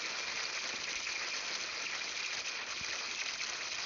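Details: Freeze Miser freeze-prevention valve on outdoor faucet, within 150 feet, November: steady even rush of water, no sputter or surging; valve still open passing full flow while water warms the near-freezing assembly before closing.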